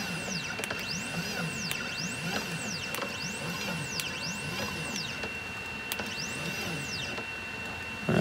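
Smooth stepper whine sweeping up and down in pitch with each jog, clean stops, no grinding or skipping; axis moving normally.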